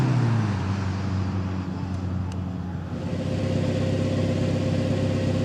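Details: Toyota Tacoma 2.7L 3RZ, cold start after replacing the broken stock muffler with a 2-inch ID Thrush glasspack: deep, even low rumble, moderate volume, no rasp or drone; sounds like a truck, not that loud, normal glasspack exhaust note.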